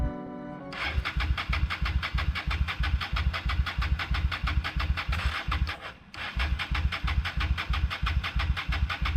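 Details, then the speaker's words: 1998 Honda Shadow 750 ACE, sat outdoors over 5 years, cranking after cleaned carburetor refitted: starter spins in steady pulses, about three per second, with a pause, never fires; owner thinks it isn't getting fuel, unsure about gas in tank. "okay well as you can tell nothing happened and now I don't know it kind of seemed like it wasn't getting fuel"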